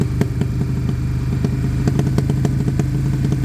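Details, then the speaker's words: Suzuki Bandit with Blue Flame exhaust, about 7 minutes warming at idle with a little smoke: low idle burble with sharp irregular ticks, speed hunting slightly as it heats up; idle fluctuation, cause not confirmed. "although it's heating up oh we might have got idle fluctuation"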